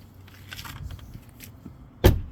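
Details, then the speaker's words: Tesla door closing after its latch was tapped over with a hammer and retightened to sit closer to the frame for a tighter seal against wind noise; a single solid thud with no rattle. Normal door closing. "Ooh, yeah, so much nicer. Sounds like it's got brand new."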